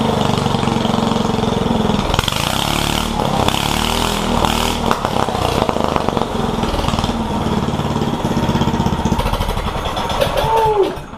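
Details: One-seater Yerf Dog go-kart with a newly installed 420 Predator engine, being broken in: single-cylinder popping along at a fairly steady rate with a few blips before shutting down; engine runs fine.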